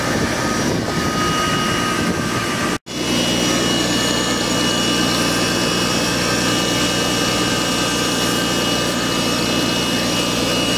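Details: Car with timing belt, water pump and serpentine belt replaced Jan 2023: thin high-pitched whistle holding pitch over the engine at startup; cause unknown, owner guesses a bearing, not confirmed.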